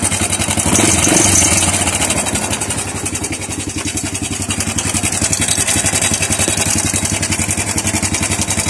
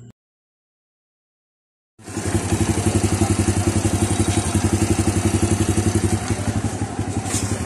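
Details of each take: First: Honda Wave 100 with noise from the cylinder head, heard at idle before timing chain replacement: fast, even metallic clatter, about four ticks a second; worn timing chain and roller guides. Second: Honda Wave 100 idling after replacing the timing chain and its roller guides, which caused a rattling noise in the cylinder head; steady even putter with no top-end rattle, healthy idle.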